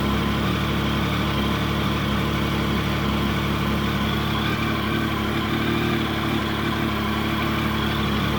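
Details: Triumph Sprint GT 1050 at its first start after fresh oil and air filter. Steady, even idle with a smooth throaty exhaust and no knocks or rattles; the engine sounds healthy.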